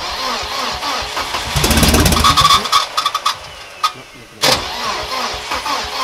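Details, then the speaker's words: Volvo 740 with a newly installed replacement engine, first start after assembly: the starter cranks with rough firing, the engine catches, stumbles, then settles into a steady idle. Normal start and idle; the starter motor is still giving trouble. "lo principal el arranque es verdad motor arranca como pudisteis ver en el vídeo va bastante bien"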